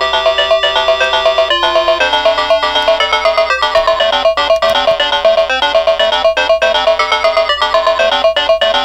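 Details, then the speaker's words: Known-good Atari Lynx model 2 playing Zarlor Mercenary at full volume: clean, bright tune with crisp notes and no crackle, buzz or distortion. Normal speaker audio, used as the reference before recapping a faulty unit. "okay so there's that one and so you could hear that and actually again it's a full volume and the audio is pretty clear"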